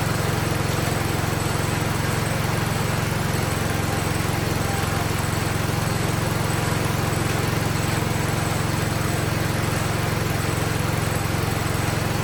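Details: 47-year-old Wheel Horse tractor, single-cylinder, carb slightly tuned, choke fully off, no air filter yet, no smoke: steady, uniform drone without surging, hunting or misfire; running healthy.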